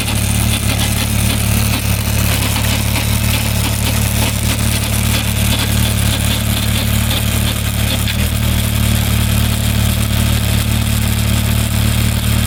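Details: Suzuki Bandit 1200 cruising in 5th gear: steady loud engine drone with an uneven underlying roughness, source not pinned down; strange noise in 5th gear.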